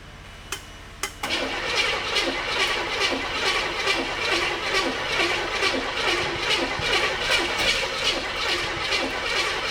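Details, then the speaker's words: 1985 Chevy K30 CUCV, first start of the swapped-in engine on an electric fuel pump, not fully hooked up: it catches after sharp pops and backfires, then settles into a rough, fast, chuffing run with heavy smoke. "Backfire good. >> Yeah. [Music] Whoa. >> Big fire."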